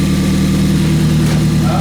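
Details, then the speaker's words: Ford Fiesta ST after rebuild with Direnza tubular manifold and RT330 hybrid turbo, first start on a cold night: short stretch of steady, even idle running a bit fast, smooth low hum, no miss or tapping; engine light on. "Hey! He's running fast. He's got an engine light."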